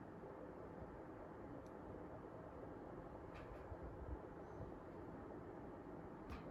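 A soft, steady airflow hush with no rattles, ticks or rubbing; the indoor fan is running smoothly and sounds healthy.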